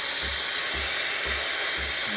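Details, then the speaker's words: Breville Barista Express espresso machine with Italian vibratory pump kicking in while steaming milk; loud pulsing hum about twice a second under steam hiss, like a heartbeat, loud but typical; normal vibratory pump operation. "So it's got a cool Italian pump on there, and it will start. It will start going. And you can hear it, the pump start kicking in. Sounds like a cool heartbeat."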